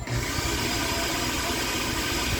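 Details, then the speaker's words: Philips Walita food processor after cleaning and greasing dry gears; a brief squeal at start, then a steady even motor whir without the earlier loud noise; fixed. "de bola deu uma gritadazinha no início mas quando a graxa se espalhou né tomou conta direitinho acabou com a zoada feia né"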